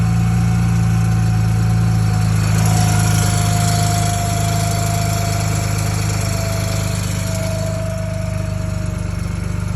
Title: N54 whine on start up and rattle sound (30ff)